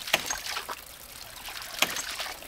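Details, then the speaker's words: 1-inch off-grid ram pump, about 7 ft input head lifting 35 ft: sharp hard cracks about every 1.7 s over trickling water, with the drive pipe cracking and bouncing, because a cracked cap has let all the air out of the pressure tank. "there's no air in this pressure tank and so the system is hitting really hard let me show you that real quick first of all you can hear the drive pipe is making a cracking sound all the way up"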